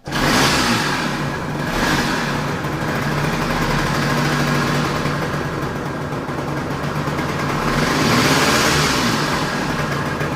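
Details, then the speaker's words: Budget-restored two-stroke scooter, first start after restoration with weak battery: small two-stroke buzzing steadily at a brisk idle with a couple of gentle blips, firing evenly without stumbling; runs healthy. "Okay, so let's start it up. God damn it. Oh, look, it's working."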